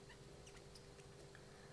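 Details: WLToys 144001 RC car oil-filled shock pushed in by hand gives faint, short high-pitched squeaks; shock chewing its threads, which can let air in and oil escape.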